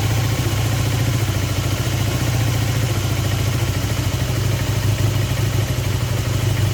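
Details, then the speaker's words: Honda CB250N twin on stand with vacuum gauges on both carbs, left needle moving further: slightly uneven lumpy low idle; carburettors suspected out of balance. "definitely more on the right and then on the left okay I'm not sure they're in Balance I was definitely seeing the left hand needle moving further"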